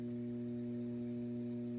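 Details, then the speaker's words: Data East/Williams System 11 pinball machine: a low, steady, constant buzzing hum from the speakers, one of two hum types, addressed with an auxiliary power supply fix. "the other one if some people have is just a constant hum like a constant buzz"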